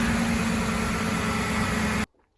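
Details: 2006 Ford F-150 after replacing a grease-dry pulley bearing with a junkyard pulley: steady even engine hum with smooth belt whir, no grinding or squeal, then shut off; accessory drive sounds healthy.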